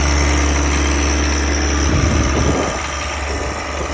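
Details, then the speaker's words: John Deere 1023E diesel tractor accidentally filled with gasoline and started; main tank siphoned, but some gas remains in the line; system primed. First start is rough and smoky, a heavy uneven beat that settles and drops off. "did start. A little rough and smoky at the beginning, but"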